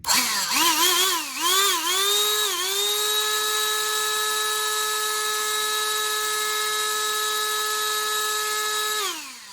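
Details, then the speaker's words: Black+Decker Dustbuster 16V CHV1410L, opened and cleaned, tested before closing: a few stuttering starts, then a clean steady motor whine until switch-off; the earlier bad noise is gone, normal motor run. "Okay, it's working. Seems okay in there. Okay, now this shell fits over like this. Okay, it's not making that noise. Okay, that's positive news."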